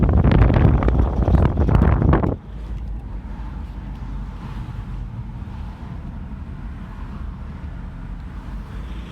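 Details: Car idling with a low, uneven burbling gurgle after a brief wind blast on the microphone; the gurgling has gone on for about a year, has caused no other known issues and the car still passed state inspection; cause unknown.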